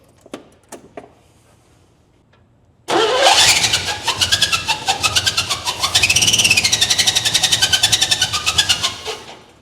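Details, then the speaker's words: 1957 Chevy Bel Air, almost 70 years old, long unused and possibly with transmission work done, started again: fast, uneven ticking about four per second over a thin, raspy running note, cause unknown. Abnormal running noise. "I've never heard an engine that sounds like that, but you did get it running."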